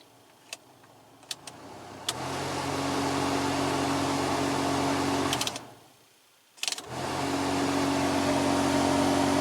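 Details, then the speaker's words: 2006 Toyota Camry cabin blower motor: a loud steady low hum and throb, stopping and restarting with the fan, strong enough to vibrate the dash; it comes from debris in the blower wheel. "so currently my motor actually works but it makes a loud noise so I think I might just have to clean it but basically it's gonna be the same as taking it out"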